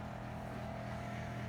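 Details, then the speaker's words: Kenmore 790 true-convection electric range, oven door closed so the convection fan ramps back up: steady low drone with a clear mid-pitched hum; loud fan drone, affects this unit, cause not determined. "so now if you guys are wondering what what this noise is when I'm making my cooking videos if you're you don't know now you know"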